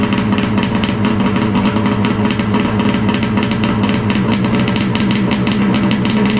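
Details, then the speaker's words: Crisp, even two-stroke burble with no misfires or knocks from a 2011 Arctic Cat Crossfire 800 HO snowmobile cold-starting at about −20 and settling into a clean idle. This follows a cheap top-end repair after engine failure. "Starts pretty good. It's actually freezing cold here today."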